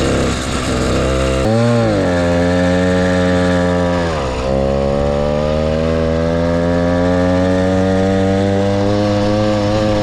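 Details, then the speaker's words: Motorized bicycle ("the Mule") small two-stroke kit engine, brought in for a no-start; buzzy note catches, climbs, dips once, then holds a steady raspy rev; running fine before teardown, which later found fuel in the float and a thin clutch pad. "sounds good I really really dig this bike"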